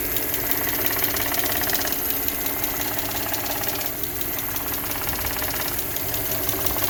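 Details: 2011 Audi S4 at idle, days after PCV replacement, oil change and coolant refill/bleed: light, quick intermittent ticking about three per second; compression about 180 all cylinders, no check engine light, smooth power; source unknown, intake flappers suggested.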